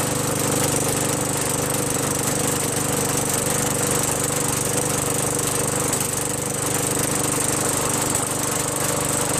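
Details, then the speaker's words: Craftsman 5.5 hp Tecumseh 21-inch push mower after a quick carburetor bowl clean with carb cleaner, fuel now flowing: loud, steady single-cylinder clatter at constant speed, no surging or dying; running normally. "runs good now after a quick and dirty."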